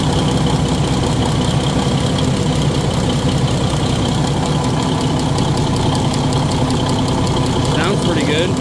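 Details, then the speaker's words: Cummins NT855 Big Cam diesel, first start after rocker install and valve/injector adjustment, no turbo connected, building oil pressure; big diesel idles with steady, even clatter, no uneven knock or miss; normal idle. "we don't have a turbo hooked up or nothing but Crank It Again Le the air out of it got a oil pressure"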